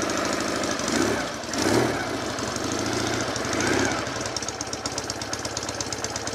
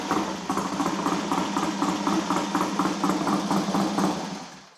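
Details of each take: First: Twin, carbs flooded with no choke, started on one kick: steady, lumpy even tickover with no odd knocks while warming up; normal idle, expected to rise slightly when warm. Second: Triumph twin motorcycle in the workshop, gearbox checked fine: ticks over with an uneven, slightly lumpy beat around three pulses a second, then dies; uneven running, carbs need setting up.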